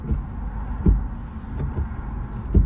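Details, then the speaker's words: Wiper squeak fixed at no cost by removing the wiper and adjusting it with a screwdriver, then refitting the blade; on retest only soft thuds each sweep, about every 0.8 s, with no squeak or chatter. Quiet wiper operation. "Nasıl? Hiçbir sorun kalmadı, değil mi?"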